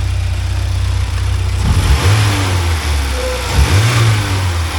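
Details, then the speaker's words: 1979 Porsche 924 after adding a fuel pump relay, new fuel filter and cleaned fuel accumulator: low even idle picking up cleanly on two throttle blips and falling back smoothly, no hesitation now that fuel pressure is right; faint clattering from a rubbing washer. "No hesitation anymore either, so I got the right pressure."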